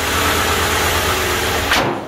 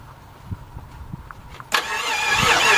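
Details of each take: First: Carbureted engine that sat outside for almost 20 years, with vacuum leaks and some smoke, idling after adjustment with a new idle spring. It holds a steady low rumble with hiss on top and does not stall. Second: 1989 Jeep Grand Wagoneer 5.9 V8, sat outside almost 20 years, starter fluid sprayed into the carburetor: steady starter churn about five seconds with ragged catches as it tries to fire; confirms spark, first little start.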